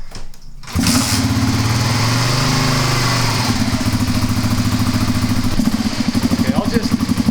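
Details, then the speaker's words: Kawasaki KLR250 single-cylinder, hard-starting for a year: catches on a little throttle and runs unevenly, pulses wavering as choke is manipulated; choke works, carburetor suspected. "Okay, so the choke is connected. It's doing something. I'm still suspecting the carburetor."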